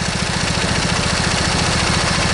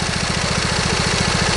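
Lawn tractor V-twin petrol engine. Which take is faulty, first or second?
second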